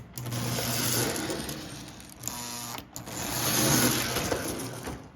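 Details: Old Lionel O-scale steam locomotive running on track after repair; motor roller had been stuck, grounding the circuit, and decades-old grease sludge cleaned; small motor whirs evenly with light gear chatter, swelling and easing; normal running.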